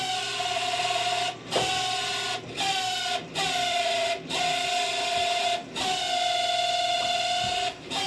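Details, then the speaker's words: Camp Chef SE Smoker Pro left in the rain, auger previously jammed: steady mid-pitched auger motor whine dipping and stuttering unevenly; running but not sounding as before, cause not yet found. "Right now it's working, but it just doesn't sound great. Like it's not sounding like that before. So I kind of want to see what's causing that sound, right?"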